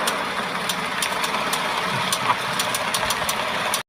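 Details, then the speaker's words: Ford F-150, 2010 or later; light sharp clicks from the front wheel area while rolling and turning. Failing integrated wheel end suspected, not confirmed. "in this video here, you hear this light clicking sound coming from the wheel area on a newer model F150."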